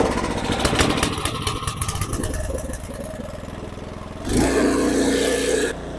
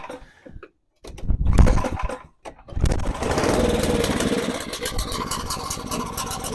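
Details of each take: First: Snow blower small engine after fuel line replacement and carburetor cleaning, started on choke and prime: quick choppy revs settle into a steady idle, then a louder even run with no misses; running normally. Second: Snow blower small engine with a cracked fuel line and a carburettor due for cleaning; it coughs to life, then sputters, surging and stumbling unevenly, getting some but not enough fuel; lean-running carburettor.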